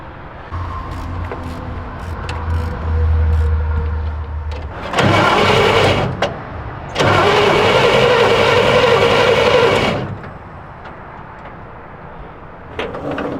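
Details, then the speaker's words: 1951 Chevrolet half-ton truck, long sitting, fresh battery fitted: starter cranks engine in steady even bursts, about four strokes a second, no binding; motor not seized, throttle on carburetor feels stuck. "Okay, that's a good sign. Motor's not seized up, everything's spinning over, everything's good."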